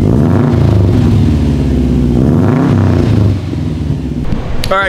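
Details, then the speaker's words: 2013 Subaru WRX after fitting an Invidia catted divorced-wastegate downpipe, with cold air intake and stage 2 tune: deep, even, slightly throaty burble settling to steady idle, not much louder, just a different tone, no rattles or misses. Normal idle. "the car sounds great um it has it has a it's not much louder it just has a little bit different tone to it but I I like it I like it a lot"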